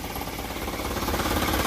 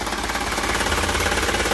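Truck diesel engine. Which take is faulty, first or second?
first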